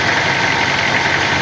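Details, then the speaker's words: Toyota Corolla warming up, fuel pressure 40 psi, oil pressure 50 psi and dropping as it heats: steady idle with busy rough clatter over the engine note, cause still unknown; abnormal engine noise at idle. "Seguimos aquí, amigos, con el proceso de diagnóstico del Corolla. Ese es el ruido que presenta."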